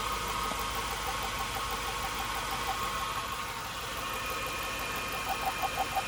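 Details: 2002 Chevrolet Suburban 5.3 LM7 V8 at idle, heard through a metal probe: sharp valve train ticking about three times a second; $50 parts fix didn't help, owner believes cause is deeper in the engine.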